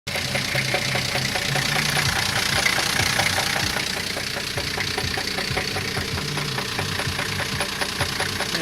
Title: Стук в двигателе.